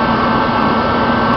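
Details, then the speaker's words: Rebuilt Mr. Heater Contractor Series torpedo heater at full fire, pressure gauge reading perfect: steady, even roar with no sputter, surging or pulsing; burner holding a clean, healthy full flame and sounds really good. "Peter sounds really good and our pressure is perfect"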